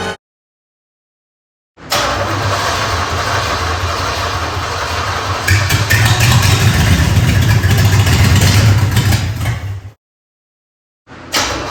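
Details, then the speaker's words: 3rd-gen Camaro Z28 305 H.O. V8 after a fuel system overhaul, with fuel poured into the carburetor: fires and runs about eight seconds with slight surging, then cuts out. Fuel starvation; the engine isn't drawing from the gravity-feed setup, and an inline pump is planned. "right. So, the first attempt was a failure. It's not starting and running long enough to actually pull the fuel from the gravity feed that I had set up."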